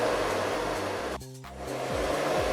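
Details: Blower of a Chinese air-conditioning unit retrofitted to a 1995 camping-car, running at full speed on batteries in full sun; steady even rush of air with no rattles or scraping; fan healthy.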